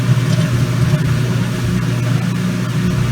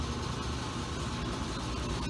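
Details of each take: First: Kenmore Laundry Center washer on normal regular cycle, cold water, large water level, after draining: steady, even low hum with no knocking or grinding as spin starts normally. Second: Kenmore Laundry Center top-load washer on a regular cycle, cold/cold water, large water level, heard from outside the bathroom door during spin; steady loud low rumble with rattling as the machine shakes hard and gets noisy, cause not evident.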